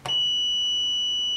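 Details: Paragon 8045 defrost timer on 208 V, switched back to cooling: one steady high-pitched multimeter continuity beep lasting over 1.5 s across terminals 1–4, which feed the compressor.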